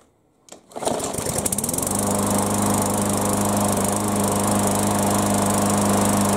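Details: Yard Machines mower after no-start repair, with fresh fuel, primed two or three times; pull start catches and settles into a steady, even single-cylinder run, no misses or surging; normal running.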